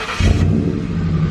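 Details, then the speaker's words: Ford Crown Victoria V8 after intake manifold replacement, which followed years of misfire, lean and O2 codes and a coolant leak: quick throttle blip, then a steady, even deep rumble with no stumble or miss at startup; healthy. "No stuttering when she start up or nothing. She good to go, running like a top, man."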